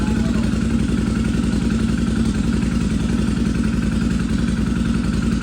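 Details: Free Intruder motorcycle after fuel line replacement and fresh fuel: steady, even thumping idle with regular firing, no misses or stumbles; engine running normally after repair.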